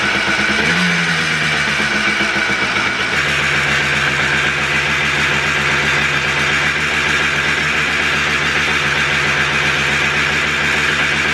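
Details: Freshly rebuilt two-stroke Blaster on its heat cycle, with the idle mixture screw set far too high. A buzzy idle sounds uneven and ragged. It runs rough from the misadjusted idle mixture screw.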